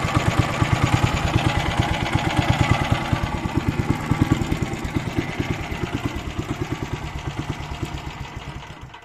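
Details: Weima single-cylinder petrol engine thumping about three beats a second, revs swelling and sagging before dying; cracked fuel line found; owner suspects carburettor, possibly speed governor, plans carb cleaning.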